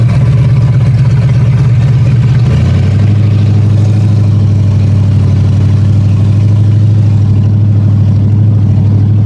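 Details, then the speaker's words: Ford Granada automatic on a first drive along the driveway: engine drones under load, stuck in first and not upshifting. Owner suspects the unhooked kickdown return spring. "But of course it didn't really want to shift out of first gear, but I think I know exactly why."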